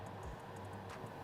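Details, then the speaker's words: JetStream coding/marking unit vacuum circuit, valve 5 toggled on and off from the device diagnostics: sharp, light clicks several times a second, showing the valve plunger is not stuck. "if you toggle the on off for the valve we should hear a nice audible clicking unless you're in a really really loud environment you should be able to hear this"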